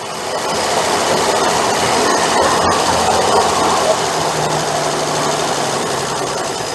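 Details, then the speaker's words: 1968 Dodge Dart 270 slant six, previously abandoned, starting for the first time since purchase: it fires easily and settles into a steady, even hum with no knocks, misses or smoke. Normal start and idle. "that was way too easy that's crazy that is way too easy"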